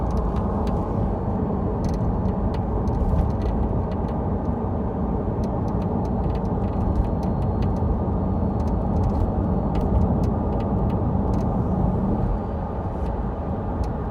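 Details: Tesla Model 3 driving: irregular light clicks and rattles over steady road rumble, suspected to come from the left rear suspension; not confirmed.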